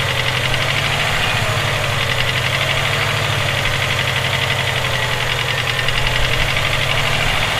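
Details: Subaru EJ257 engine at steady idle: fast, hard knocking repeating with every engine turn; owner suspects rod knock, source not confirmed.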